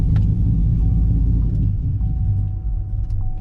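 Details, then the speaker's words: 2008 Sierra 4.8 with a BTR Stage 4 cam, 50lb injectors, 3k stall and 4.10 gears, first start after flashing to speed density mode: a deep, loping, wavering rough idle. It is probably running very rich at idle, not yet tuned. "and it may not run the best at the beginning but this is definitely necessary because this one's probably running really rich at idle and it is not liking speed density right now"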